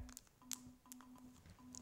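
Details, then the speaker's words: RuBee tag reader from a demo kit gives short, clean pings at irregular intervals, one per individual tag read, in a quiet room; the base station antenna is tuned and reading normally. "you hear that pinging sound each one of those pings is a read of is an individual read of this tag so engine here is just reading one right after the other"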